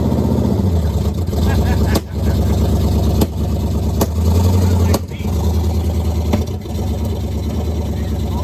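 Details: 1969 Pontiac Firebird, almost all original numbers-matching drivetrain, first start after sitting since 1994, no brakes: deep, even V8 rumble with steady firing and a few brief throttle dips as the car moves under its own power; runs and pulls smoothly.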